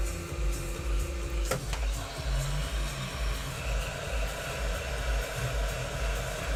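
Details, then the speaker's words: Apple HomePod with failing power supply filter capacitors: a deep bassy burbling pop blasts from the woofer over low hum, with large subwoofer excursion. DC offset "death fart". "scared the [ __ ] out of me it does every time damn it well there's your death fart that's what it sounds like"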